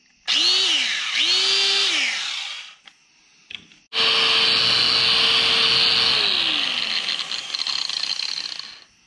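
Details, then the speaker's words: Makita angle grinder, after repair of its stripped gears and regreasing: over several bursts a clean high whine spins up and winds down evenly with no grinding or rattle; very smooth. "that's crazy I don't think this thing has ever sounded that way so smooth"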